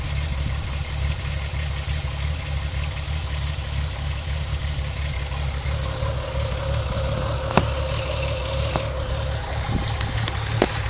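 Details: VW VR6 12V at idle, misfires on cylinders 2, 3, 6 (mostly 3); coilpack, plugs, wires, coolant temp sensor, purge valve replaced; uneven lumpy idle with irregular shake and stumbles, check engine light blinking; cause unconfirmed; rough idle misfire.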